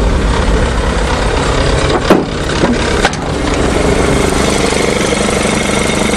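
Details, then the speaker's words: Chevy 427 V8 dump truck, first start in spring after sitting, in neutral, instant start: low steady rumble settling after a couple of brief bumps, firing evenly without misses, fuel pump audible; healthy idle. "sweet everything's starting good glug glug glug I don't know which is louder the fuel pump with a jar"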